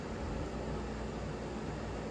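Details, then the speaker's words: 1994 Hunter Comfort Breeze ceiling fan, model 23410 Type B, 120 V 0.85 A, on low speed: soft even hum and gentle air rush, no ticks or rubs; runs smoothly, though a broken capacitor makes medium speed about the same as low. "Now, let's start this fan on the low. This fan has a really nice low speed."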